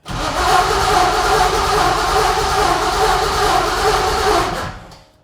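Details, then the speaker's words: '64 Nova with a junkyard 6.0 LS and Tremec TKX: steady starter cranking about four and a half seconds with no catch; cranks but won't start, likely because the chosen ECU power wire is cut off during cranking. "it nothing nothing 20 Vol 20 DC 20 got it great so you're like I said before you're turning off right when under cranking the wire you picked gets turned off okay and that's uh not going to work"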